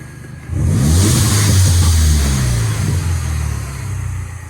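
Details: Mini Cooper S revved after a replacement high pressure fuel pump fixed its crank-no-start; climbs and eases back smoothly, even deep note, no knocks, misses or flat spots; actual and target fuel pressure change together.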